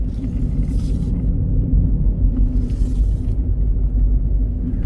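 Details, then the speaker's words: Ford Fusion hybrid with a rear noise while driving: steady low droning roar, heard when swaying hard left and gone when swaying hard right, pointing to a worn right rear wheel bearing. "Left hard, you hear it. Right hard, you don't hear it. Now, normally, what that means is when you don't hear it going to the right, it's because you're loading the left wheel bearing. So that means that it's not the left wheel bearing, it's the right wheel bearing."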